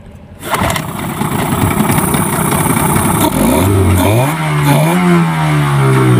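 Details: Yamaha 15 hp two-stroke outboard after repair (stuck piston rings freed, clogged exhaust cleaned): it starts on one pull, revs up cleanly with a rising buzz and settles evenly. A normal quick start with power restored.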